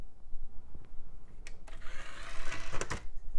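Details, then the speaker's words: Samsung DVD Master 12E optical drive (made June 2000) from an eMachines eTower 633id, dry-fired: soft clicks, then a short smooth motor whir as the tray opens and closes. No grinding; the tray works normally. "and closes that's always a bonus it does feel like a good quality drive it has plenty of weight to it"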